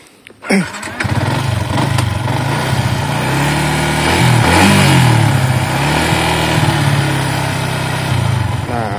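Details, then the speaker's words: Yamaha MX King 150 single-cylinder after major service, throttle body and injector cleaned, valves reset, coolant refilled: steady idle with an even light tick over the exhaust beat; tick is characteristic, pinging gone; healthy idle. "oke Ini suara udah mulus ya Nah untuk ketukan ini emang karakternya kayak gini Jadi emang gak bisa dihilangin tapi untuk ngelitiknya ini udah hilang ya"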